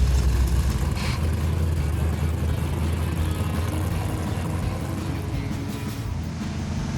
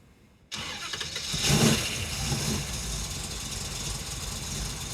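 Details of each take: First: Carbureted V8 car on the road after a smaller accelerator-pump squirter was fitted; it had been running rich with black smoke. A deep, even V8 rumble under steady cruise with no stumbling or popping. It fires right up and runs much smoother. Normal running. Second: Holley 830 four-corner-idle carburettor on a V8 before leaning the idle mixture screws: starts, flares, then settles into a lumpy, uneven, stumbling idle; running far too rich, improved once the mixture screws are leaned.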